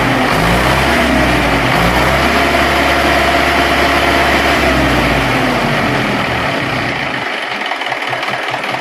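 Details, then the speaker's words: HMT 6522 diesel tractor after a full engine rebuild, under raised throttle: even, steady diesel beat that picks up cleanly with no knocks or rattles, normal healthy engine running under throttle, described as very good. "तो हमने एक litre को देखकर देने के बाद भी इसकी आवाज़ बहुत ही अच्छी है"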